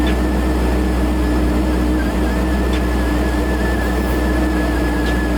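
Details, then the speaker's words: Procharged Pontiac G8 V8 after a piston replacement, driving: steady, even drone with a faint constant supercharger whine, no knocks or misses; owner says it feels better than before with more compression. "everything sounds good. That shit feels better than actually before. Like, there's more compression to it."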